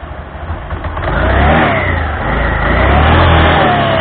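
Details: Honda Scoopy (Scoopy Donut) after replacing damaged CVT belt and front roller housing that caused loud noise: engine catches and revs smoothly, no slip or rattle; belt drive sounds good.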